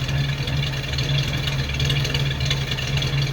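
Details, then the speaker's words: Old flathead car at idle, steady deep burbling even exhaust note with no misses; sounds better warmed up, normal idle. "it sounds better when it's warmed up it's a good old car i like it i really do"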